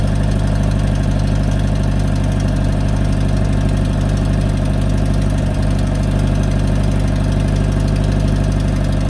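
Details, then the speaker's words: 2018 Subaru WRX base, Stage 1+ COBB tune, COBB intake, muffler/resonator delete: heavy steady idle with loud metallic clack about three times a second, worsening over one to two weeks; source inside not yet found. "it sounds like metal clacking inside but I don't know just anything guys"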